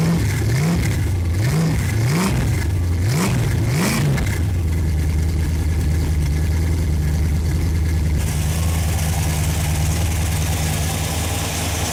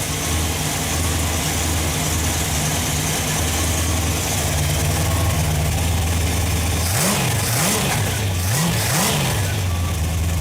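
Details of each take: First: Freshly rebuilt Ford FE 390 V8, cold start: rising starter whir with brief metallic skipping as it catches and the Bendix disengages, then a steady good-sounding idle; owner suspects poor clearance between starter Bendix gear and flywheel. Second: Freshly rebuilt Ford FE 390 V8 with a mild cam (1964 Thunderbird, Edelbrock fuel injection), cold start: steady, even idle with clean throttle blips, sounds healthy. A slight chatter is suspected from poor starter Bendix-to-flywheel clearance.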